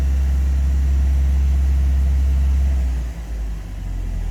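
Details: Classic carburettor and distributor car (Project Ruby) at warm idle after ignition timing set during the tune-up: deep, steady, even idle rumble dipping slightly near the end; timing correct, engine idles smoothly.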